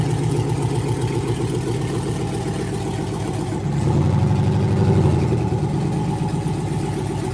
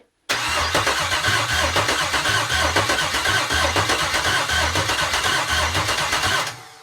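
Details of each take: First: GM L86 6.2L Gen V V8 on an engine stand, first start after swap prep (new harness, ZL1 fuel pump, vacuum pump and purge valve deleted): strong, even idle with a short rev blip settling smoothly, no knocks or misses; healthy engine. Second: L86 6.2L Gen V V8 on the stand at first start, with a new harness and a ZL1 fuel pump module. Steady cranking at about four pulses a second for six seconds, never catching. No fuel pressure, air in the lines, and no gas in the tank yet.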